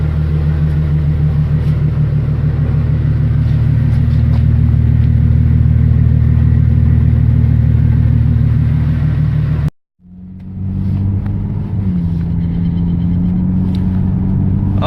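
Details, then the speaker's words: Ford ED Falcon turbo after fitting the new manifold and heat-wrapped up/dump pipe that fixed the cylinder 6 exhaust leak: a deep even rumble, then a clean rev with no ticking or puffing; a sealed, healthy exhaust. "that is so much better it sounds like a real car"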